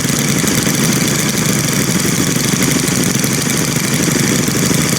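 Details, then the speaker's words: Brand-new Stihl FS string trimmer, one of three started after choke pulls, idling with a high, buzzy two-stroke note that holds even and steady without dying or surging; the idle now sits right. "1 4-cylinder weed whacker. That's pretty awesome. It does sound pretty neat. It does sound pretty darn neat."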